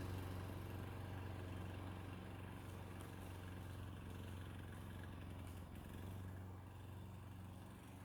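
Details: 1990s Toro GTS 2 550 three-speed rear-drive mower, 5 hp Briggs & Stratton 124702, after carburetor repair, cutting grass: engine holds a steady, even beat around four firings a second; healthy under load.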